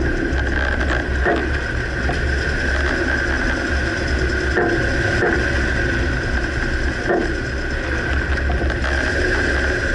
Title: Dodge Ram 2009 Clunking noise can't pinpoint - Front right suspension